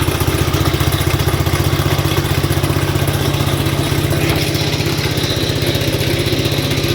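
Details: 1967 Gravely 430 sat outside for years, after clearing debris from the ignition points, running while testing drive: fast, even single-cylinder beat about four firings a second, no misfires; engine good, not smoking or burning oil, transmission junk.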